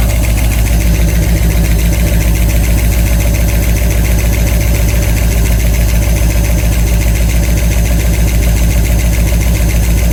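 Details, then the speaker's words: 1989 Ford E150 with 460 big-block V8, about 10,000 miles on engine, after new lifters installed: steady knock about three to four per second at idle persists; suspected bottom-end problem, rebuild planned. "all right well we put the new lifters in it started up and the noise is still there so we're gonna have to pull the engine out of this again and probably do a bottom end rebuild"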